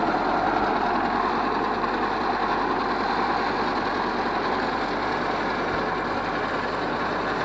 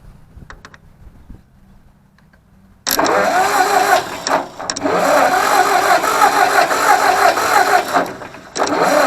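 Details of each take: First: Ford 641 Workmaster tractor, pasture find sitting 10+ years, warm day without choke, after starter rebuild, tank boil-out and rewire: steady, even drone with a low chug and no knocks or misses; healthy, running unloaded. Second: Ford 641 Workmaster tractor, sat at least 10 years: two long stretches of even cranking, about three turns a second, never catching; no spark from dirty ignition points, spark restored after cleaning them again.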